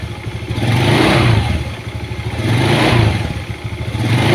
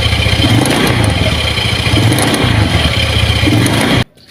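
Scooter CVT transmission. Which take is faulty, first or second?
second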